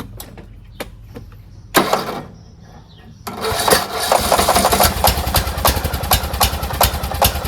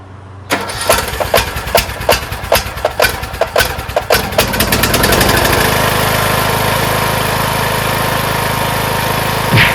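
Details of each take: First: Craftsman T1600 lawn tractor after camshaft compression release replacement, valves redone: several short cranking bursts that fail to catch, then fires and runs steadily; reluctant to start, though it runs great once going. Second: Craftsman T1600 lawn tractor, first start after camshaft/compression-release replacement with the fuel solenoid and lines reconnected: about a dozen slow cranking strokes, catches near five seconds, then a steady, even idle; it starts and runs healthy.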